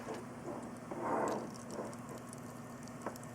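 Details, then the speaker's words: Corsair H100i all-in-one liquid cooler pump, shaken to get air flowing; faint steady hum with scattered soft crackles and patter — air bubbles in pump. "so duh that is the sound of micro bubbles going through"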